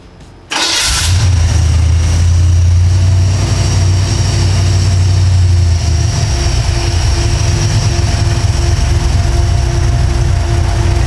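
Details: FiTech EFI V8 cranks, catches quickly and settles into a deep, steady, even-firing idle after a misfire from an arcing plug wire was fixed; the engine initially runs rich as the EFI pulls fuel back out.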